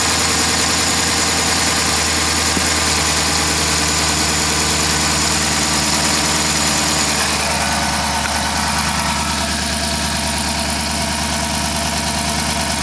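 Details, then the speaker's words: 2012 Dodge Charger 5.7 Hemi idling after swapping coils between cylinders 5 and 3; uneven loping idle with a regular stumble; misfire stays dead on cylinder 5, mechanical problem suspected, compression test next; collapsed intake lifter. "so we still have a dead Mist on cylinder five as suspected three is running good so I was pretty sure that we had a mechanical problem and that's what it seems like"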